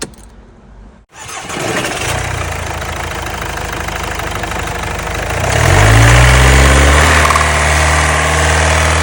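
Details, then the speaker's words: Mercedes GLA brought in with a noise under the engine and found with no oil, then refilled: starts after a second and idles with a sharp, regular knock about four per second; mechanic rules out the injectors. "moteur ça tape les amis ça tape donc vous avez vu comment ça tape donc pour moi c'est pas un injecteur"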